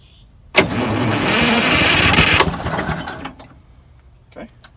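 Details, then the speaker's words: 74-year-old Greyhound bus diesel after pulling an injector tube to check for fuel: about two seconds of steady cranking with no firing pulses. Crank, no start, confirmed as a fuel prime problem with air in the line; a leak is also found. "Do it again. Yeah. Okay, that confirms we have a prime problem."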